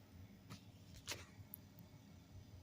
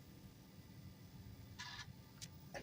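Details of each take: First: Bell & Howell Apple II Plus clone, floppy drive reading the other side of the disk: two harsh high-pitched buzzing bursts about a second each, no clean stepping; drive seeks abnormally and fails to load, cause unknown. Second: Bell & Howell Apple II Plus clone booting a Ghostbusters floppy after restoration: quiet steady motor hum with short bursts of head-stepping chatter; drive reads and loads normally, so owner suspects the controller card is dead.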